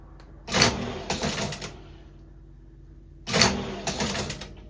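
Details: Teletype Model 33 KSR powered on, tried twice; two short bursts of loud clattering that each stop abruptly after about a second; printing mechanism noisy and jammed, needs restoration.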